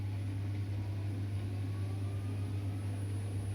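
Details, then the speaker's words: AEG 7000 Series Lavamat washer, brushless motor, spinning at full speed: steady even low hum with a slight squeaking, no knocking or rubbing; normal brushless motor sound, possibly a loose part, nothing wrong. "it just spins up to full speed there's a slight squeaking noise but that's because of the brushless motor sometimes goes up to speak I don't hear anything major"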